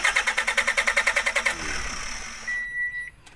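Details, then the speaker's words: 2018 Toyota Hiace Commuter with no instrument panel display at ignition on, fuses checked and dashboard removed; starter cranks in even pulses without firing; cranks but won't start, traced to failed relay contacts. "Ignition key on. Wala tayong makikita ang display sa panel board. Ayan. Halos lahat ng fuse binuksan na natin. Saka yung fuse doon sa ilalim. Masak. Tinanggal na natin ang dashboard. Ayan o. Cranking no start o."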